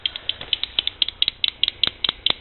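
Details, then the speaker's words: Wind turbine control, 48 V PMA: relay clicking on and off about six times a second as it switches 150 W bulb dump loads to hold turbine voltage near 34 V, set by a variable resistor; normal regulation. "you can hear it clicking on and off it's trying to keep that voltage"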